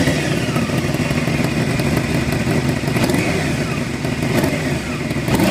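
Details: Honda CBR600 engine running steadily with fast light ticking over rough idle note; ticking not heard under deceleration, cause unknown.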